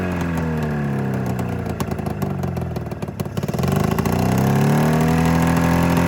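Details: 27-year-old Mountain Cat snowmobile two-stroke after an ignition coil replacement: a lumpy, stumbling beat that blips higher and settles rough, still firing on only one cylinder. A fuel delivery problem is suspected.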